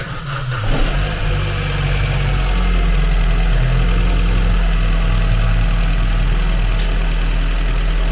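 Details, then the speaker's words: 2015 Vauxhall Astra J 1.4 turbo, 86,000 miles, after repairing a snapped timing chain guide between the camshafts: quick crank into a smooth, steady low idle with no ticking or rattle; a normal idle. "well it's alive and it definitely definitely certainly sounds 100% better than what I did when I first started the job this vehicle now has been ticking over for probably about 20 minutes or so and everything well you can hear it now that is sounding like a little Singer sewing machine"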